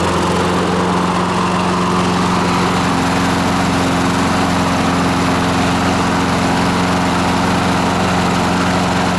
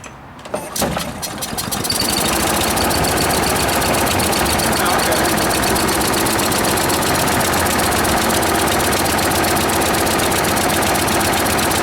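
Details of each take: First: Free scavenged lawn mower after its cooling tins were blown out and refitted: a steady, even drone holding constant speed without hunting or surging; the governor now works and the mower runs right. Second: Free small single-cylinder lawnmower engine after carburetor cleaning: catches after a few pulls, then runs strained and muffled only on choke, bogging and won't rev up; owner suspects debris jamming the governor.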